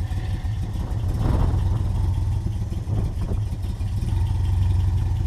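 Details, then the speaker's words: 1988 Toyota Pickup 4x4 22R with carburetor, after oil pan gasket replacement: low, lumpy idle swelling and sagging about every second; owner blames a bad carburetor and probably a vacuum leak. "like I said that's it's probably a vacuum leak somewhere you can hear it surging"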